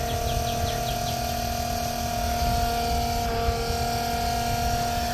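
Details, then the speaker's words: Inexpensive 12-gallon-per-minute macerator pump powered from a car cigarette lighter, draining RV black tank; steady even whir with constant tone, no knocks or grinding, running smoothly and surprisingly quiet, tearing through toilet paper. "I'm really amazed at how quiet it is a lot of people said the expensive ones are loud and these cheaper ones run much better and much"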